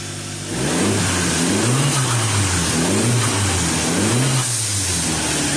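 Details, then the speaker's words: 2013 Dodge Dart 1.4L MultiAir turbo, first start after timing belt replacement: the engine catches and settles into a steady idle, then a few smooth revs rise and fall evenly with no knock or rattle. Normal running. "See how many oil leaks we got. That sounds pretty good."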